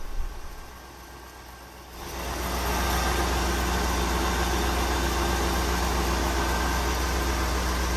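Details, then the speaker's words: 1995 Oldsmobile Aurora after replacing a bad coil pack, which had caused a severe misfire and engine vibration: engine starts and settles into a smooth, even idle with no stumble or vibration; misfire fixed. "She's running so smooth now. I really can't believe it. Yeah, it's hard to tell on camera, but it is really smooth now. There's no vibration."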